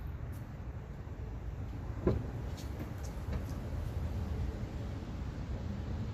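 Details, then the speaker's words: 2013 Chevy Suburban 1500 started briefly after replacing a noisy AC stretch belt, before the air intake was refitted; steady low idle after a start-up thump, with no squeal or slap. The new belt stayed on, so it is fitted correctly. "Sounds good. Everything's intact. No belt came flying off, because believe me, if it was on wrong, it would have flew off the second you spun it off."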